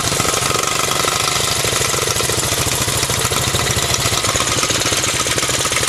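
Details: Quick, even putt-putt from one of two 1984 Honda bikes, a Z50R mini bike or an ATC 200X, steady in rhythm and level throughout: a clean, healthy idle.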